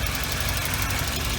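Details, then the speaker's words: Car bought at auction, about 200K, idling: steady low idle with an even rumble; not smoking and running well; a faint puff suggests a slight exhaust leak, otherwise healthy. "it's not smoking or anything it's running well a slight exhaust leak it looks like"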